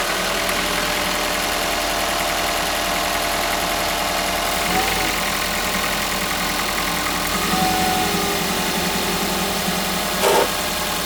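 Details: 2001 first-generation Toyota Prius at cold startup: over a steady hum, a harsh grinding burst repeats about every three-quarters of a second; the grinding also occurs without the engine actually starting.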